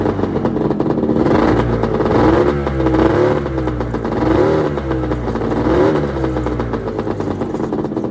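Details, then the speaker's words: 1996 Arctic Cat ZRT 600 two-stroke snowmobile after fuel pump rebuild, cold start on tripod: picks up cleanly on each throttle blip and drops back steadily without stumbling; normal running and revving. "But let's give her a few rips and see how she does with a new fuel pump."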